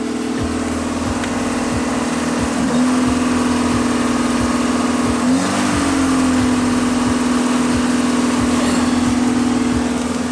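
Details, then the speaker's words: 1984 Pontiac Fiero Iron Duke engine after head gasket replacement, cold and warming up, idling about 2,500 rpm: steady fairly high drone that dips briefly and settles; normal cold fast idle. "So I mean, here it is. It's running, idling about 2,500 RPMs right now because I gotta warm it up, I guess."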